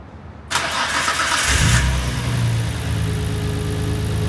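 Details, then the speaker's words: Nissan Skyline R33 GTR just after replacing an apparently original fuel filter, checking for leaks: starter whirs briefly, catches with a rev flare and settles to a smooth, steady idle; the first start had cranked a while before catching. "Alright, so obviously car fired up. The first fire I think I didn't record, so it did turn over for a little while before it finally caught, but then I recorded another start shortly thereafter."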